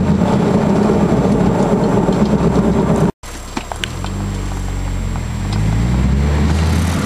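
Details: 1999 Honda Accord while driving: low droning hum under road noise rising in pitch with speed; caused by worn passenger-side wheel bearings, noise gone after replacing them.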